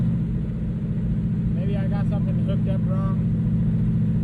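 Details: Ford Mustang 4.6 V8 after intake replacement meant to stop coolant entering cylinders 5 and 6, still warming up at idle: rough uneven beat that stumbles briefly midway; misfire unresolved, owner guesses spark plugs.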